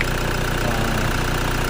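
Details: Toyota Fortuner, long in heavy use, that had no dash lights and wouldn't start, now fixed; steady, even idle with a smooth low beat, no knocking or stumbling, normal.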